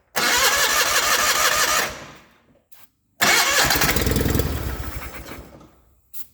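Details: 1989 John Deere 420 garden tractor: two bursts of fast cranking that briefly catch on starting fluid then fade; won't run on fuel, fuel pump later found bad.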